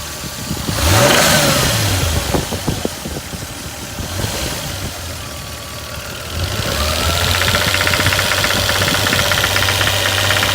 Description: My 1989 Toyota Supra 7MGE engine making a knocking sound around the 1800-2000 rpm.